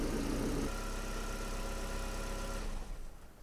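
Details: Hyundai Getz petrol engine idling steadily and evenly after tensioning the alternator belt, tested with headlights high beam, heater fan max, A/C, seat and mirror heating and audio on: no belt squeal or whistle.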